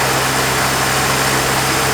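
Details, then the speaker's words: 1950 Plymouth six-cylinder, long sitting, idling around 620 rpm: loud, uneven, shaking idle with a chuff under the engine note, possibly not running on all six. "Definitely shaking a bit."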